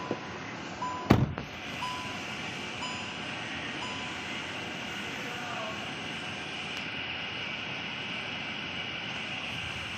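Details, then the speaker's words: Old Hyundai i20 road test after replacing both front shock assemblies, strut bearings, top insulators, greasing lower arm pins and alignment: steady road and cabin hum, no front suspension clunks. Quiet suspension, normal ride. "अभी हम लोग का जो गाड़ी है suspension नज था अभी पूरा कंप्लीट हो गया एलाइनमेंट भी हो गया हम लोग का अभी गाड़ी रोड टेस्ट करेंगे गाड़ी पूरा स्मूथ हो गई"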